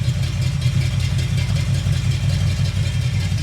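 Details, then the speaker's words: Chevy 350 V8 during valve adjustment: the pumped-up lifter holds the valve slightly open, giving a deep, lopey, stumbling idle that smooths out as it bleeds down; normal. "Now it's hanging the valve slightly, but that's perfectly normal. And you're going to hear it smooth out here in a But minute."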